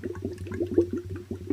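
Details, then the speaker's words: 2004 Honda CRF250X leak-down test, engine off, air fed through spark plug hole: irregular gurgling bubbles over a low hiss as about 15% leakage passes the piston rings into the crankcase; little from intake, none from exhaust; air filter previously mis-seated. "all right we've got all that bubbling down there so that air pressure that 15 of uh pressure is going past the rings"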